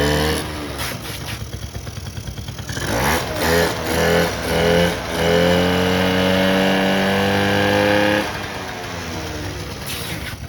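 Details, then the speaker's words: 1984 Honda Aero 50, a 50cc two-stroke scooter, on its first run in 5 years after a carb rebuild. Buzzes and climbs in pitch as the throttle opens, holds a steady rev, then settles; fires cleanly and runs, smoking a little. "boom got this thing running it smokes a little bit but"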